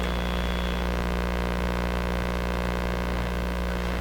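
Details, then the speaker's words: Sparton 1567 tube radio during long wave band alignment, with a signal generator plus a wire as antenna: a steady low hum and hiss with no clear station, and the AVC voltage stays below two volts; weak, noisy reception. "this is not a particularly strong signal because you hear all the noise all through it I've watched the meter here not even making it to two vaults it's just getting enough"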